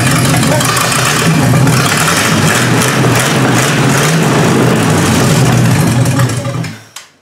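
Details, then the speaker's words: 1953 Hemi V8 with its old carburetor on a first start: deep, steady, lumpy idle with an even low throb and no knocks, then shut off; normal idle. "It sounds pretty good. And sits there in the idle. Who would have thought that old carburetor? I never thought that thing would idle."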